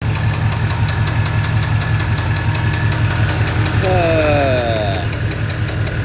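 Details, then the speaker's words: Truck engine at idle with a dropped lifter (lifter failure): sharp, rapid metallic ticking from the top end, about 160 per minute, over a rumbling V8 idle. The top end is to be torn down to check the lifters and cam bearings and to replace the camshaft. "The truck has dropped a lifter, so it sounds really bad. I'll roll a clip of it ticking here right now."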